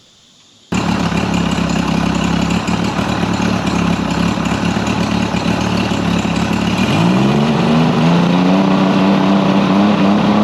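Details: Mercury 50 hp outboard after rebuild and timing set: catches and settles into an even idle, tone lifts slightly and holds; sounds much better with timing correct, idling about 7800 RPM on the timing light divided by two.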